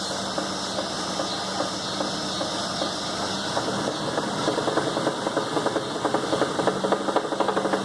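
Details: Chevy S10 as gas is slowly applied: a rough engine with a sharp ticking knock about twice a second, growing louder and quicker with throttle; engine knock, cause unclear.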